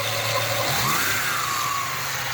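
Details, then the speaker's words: 1996 Ford Mustang with intermittent blinking battery light at low idle rpm: engine idles with a thin, high whistle that rises and wavers; owner suspects a failing alternator bearing rather than the pulley, causing weak or intermittent charging; not confirmed. "And if you can hear that, it sounds to me like the bearing on that alternator. It sounded like the bearing on that alternator is going."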